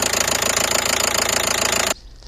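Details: 2012 Nissan Qashqai 1.5 dCi diesel at idle: a light, fast, even knock from the top of the engine that began suddenly one morning; the cause is unconfirmed, and an injector is suspected and checked with a stethoscope.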